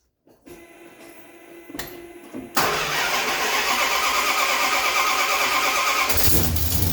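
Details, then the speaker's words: Mopar engine with headers, just started after retightening header bolts that were well loose: fast, sharp ticking in step with firing over the idle. The exhaust is still leaking on both sides, and new header gaskets are probably needed. "so [Music] yeah we've got one clicking on both sides so a little bit tighter obviously"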